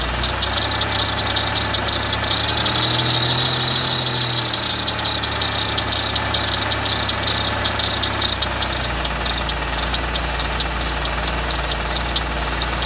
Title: Riv engine knock